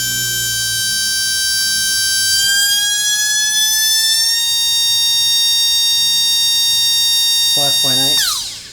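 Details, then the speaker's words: RC brushless motor on a SKYRC motor analyzer (out-of-box timing 34), reaching about 55,000 RPM; piercing whine climbs, holds at very high speed, winds down; normal high-speed run, suggested timing 20. "so we're 55 000 RPM I reckon 20."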